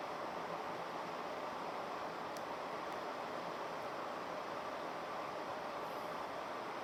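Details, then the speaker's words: 1980s 36-inch SMC Laguna ceiling fan on high: steady, even rush of air, no knocking or rubbing; slight wobble on high that partly balances out; healthy, fast-running fan. "This is a very very good fan. You can see does actually kind of wobble a little bit on high. And as you can hear, it flies, which is not uncommon uncommon at all."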